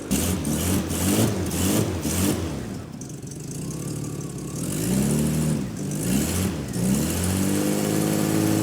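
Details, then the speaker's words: 1984 Jaguar XJ6 Series III, first start after head gasket and cylinder head refit, not yet warm: revs blipped with raspy puffing chuff, louder under throttle, from an exhaust leak at a modified downpipe; no misfires, belt slightly loose. "starts it runs pretty good actually we don't have any misfires but we do have a exhaust leak on that side that was expected because as we showed you earlier they've done some modifications to the downpipe"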